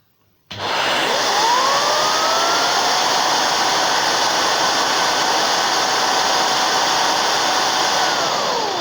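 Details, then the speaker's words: Numatic Henry Xtra vacuum with air-driven Airo turbo brush, whose suction spins a fan that drives the brushroll: the motor spins up fast to a steady airy roar with a clean whine from the turbo fan; healthy, normal running. "so you could say that obviously when the machines aren't the suction goes through the brush it obviously propels the fan which in turn drives the brushroll"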